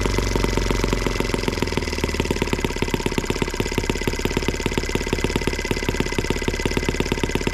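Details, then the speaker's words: Small M12B model engine on white gas, warm, needles leaned an eighth of a turn: fast, even buzzing beat holds steady with no stumbling or surging; running cleanly. "all right guys well there you have it at least this one here does run on white gas so there you go"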